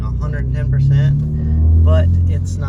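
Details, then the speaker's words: BMW M4 S55 engine after new spark plugs (gap 0.23) and two O-rings, fixing a rough idle and raw fuel smell. Steady, even low idle with a faint unevenness the owner thinks may be an S55 trait; normal idle. "not idling bad at all. I think this might just be a S55 thing that I'm not used to, but I do know it does feel a lot better. It does sound a lot better."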